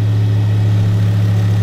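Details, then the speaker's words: Ford Focus ST turbo four at first start after a turbo refurbishment, cam belt replacement, major service and a larger intercooler, settled from a cold start: a steady, smooth idle with no knocks or hunting; healthy. "wow pleased with that that's it died down from the cold start as well isn't it yeah"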